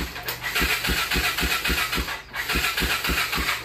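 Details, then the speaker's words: ATV with a wiring issue, starter solenoid jumped with a screwdriver, also tried with choke on and throttle pressed with no difference: steady starter whirr with even compression pulses but no firing or catching; cranks but won't start. "and one thing you want to listen for is the bike trying to Star so all that's doing is cranking right"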